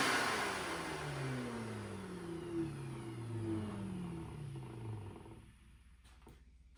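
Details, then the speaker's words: Shop vacuum after teardown and oiling of motor bearings that had whined, ground and overheated: it winds down smoothly, rushing air and motor tone falling away with no grinding or whining. "all right so there's no more grinding or whining noise on the bearings"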